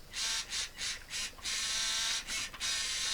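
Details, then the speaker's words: Siku Control 32 RC tractor unable to pull even a small baler; motor whirs high and smooth in bursts with no slip-clutch clicking, running free, so fault likely elsewhere in gearbox: motor running free, gear not engaging shaft. "motor is just running free, which maybe means that the slip clutch isn't the problem."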